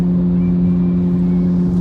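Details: Used car bought at auction, driving at about 60 mph: a steady low droning hum fills the cabin over a rumble of road noise, with no dash warning lights. Cause suspected, not confirmed.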